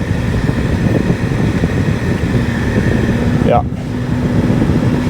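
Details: 2006 Jeep Liberty KJ CRD, after replacing climate control blower motor that locked up and squealed above speed 2: steady, even rush of air with no rattle or squeal; new blower motor running normally.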